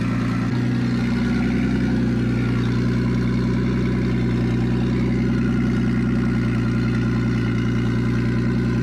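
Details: Nissan Stagea RB25DET first start after new turbo install with braided AN oil and water lines, airflow meter unplugged, no dump pipe: loud, raspy but steady idle settling after start, no misses or knocks; normal idle.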